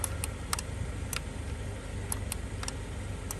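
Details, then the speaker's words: 2011 Kia Sorento driver power window with new window motor and new door switch module: light irregular relay-like clicks, about ten in a few seconds, with no motor run; new switch module lacks auto-up and doesn't match the motor. "makes little clicking sounds like a relay but it doesn't do anything"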